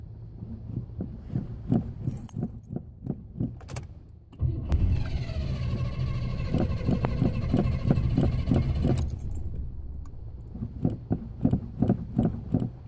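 Starter chugs about three times a second for several seconds, engine barely catches, then long cranking again; a stubborn hard start, cause unknown.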